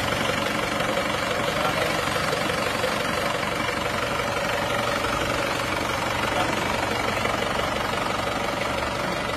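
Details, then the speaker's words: Isuzu Panther pickup diesel after repair: steady even idle clatter, no misses, hunting or heavy knocks; smooth idle. "Oke bunyinya seperti ini ya halus suaranya halus Gak rugi baru karena ternyata halus banget"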